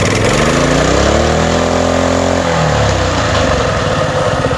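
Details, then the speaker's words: Coleman CT200U trail bike after high-idle fix with governor bypass (8 mm bolt removed): brief rev drops and settles to a low steady putter without hanging high; normal idle. "everything works the way it's supposed to and i got no more uh high idle and um high idler throughout it"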